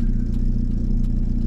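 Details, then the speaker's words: VW camper freshly swapped to an AHU TDI diesel engine with a new ECU, idling on its first test drive: uneven, lumpy idle with a slight clatter; it does not sound happy. "the idols a bit lumpy as well too to be honest it sounds like I'm inclined to want to get it back quickly because it does not sound like it happy now"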